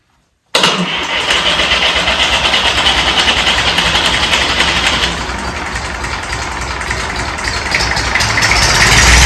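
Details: Fordson Dexta tractor diesel, glow coil heated, started without ether: catches almost at once and settles into a steady, even idle clatter; a healthy cold start.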